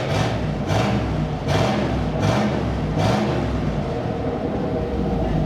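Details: 1979 Chevrolet Camaro 305 V8, barn find, running with the factory exhaust removed: raw, loud open bark with several sharp throttle blips and no muffling, sounding like a derby car; missing exhaust.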